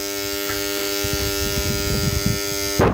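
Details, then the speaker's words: Submersible pump panel contactor: loud steady mains hum, armature not pulling in because an insect got between the metal cores; hum stops with a clunk when pressed by hand; fixed by opening and cleaning. "Kontaktörden niye bu kadar ses geliyor? Gördüğünüz gibi bobin kavuşmuyor. Yani bunun içine ya böcek girdi"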